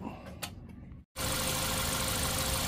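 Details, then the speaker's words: Toyota Altis idling after replacing all four fuel injectors with used ones, fitted because the old injectors did not spray a fine mist and made the engine shake: steady, even hiss and rumble, no stumble or shake; normal idle. "หลังจากที่เราได้เปลี่ยนตัวหัวฉีดนี้นะครับ4หัวอ่ามาจากของจากเชียงกงนี่แหละครับเครื่องก็จะเดินเรียบนะครับไม่สั่นแล้วนะครับอย่างนี้ก็ถือว่าใช้งานได้ปกติแล้วนะครับ"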